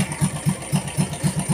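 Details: Yamaha Vega single-cylinder with a CPO PE24 carburetor fitted to a stock engine, only the idle and air screws adjusted; even low thumps about four per second with no misses or hunting; steady normal idle.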